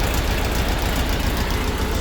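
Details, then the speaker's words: 1952 Split Window VW Beetle flat-four after a carburetor rebuild, valve adjustment and ignition timing set. Steady, even low thrum with no misses or knocks; much smoother than before. Normal idle. "Yeah, so it's running very smooth, guys. Again, I think it really liked the carburetor rebuild. This motor was definitely not that smooth before."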